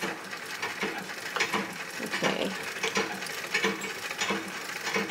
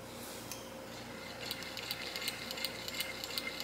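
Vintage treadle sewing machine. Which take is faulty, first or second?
first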